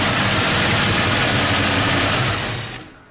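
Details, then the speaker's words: Car just after a rebuild, in gear; ragged uneven engine note for about two and a half seconds then dies; rough running and stalling, owner suspects advanced timing connection, cause unconfirmed. "you put it in gear and it sounds like a tractor it just wants to cut out"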